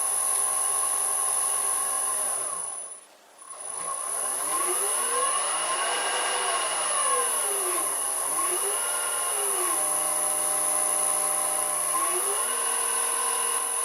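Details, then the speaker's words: Vintage Karger lathe motor on new small Chinese Banggood AT1-0750X VFD replacing dead Allen-Bradley drive: smooth, quiet hum gliding up and down in pitch with speed changes, faint steady high whistle; runs healthy and quieter than old drive. "newer and much faster electronics sound nice and quiet and that will help me with the audio quality of my videos"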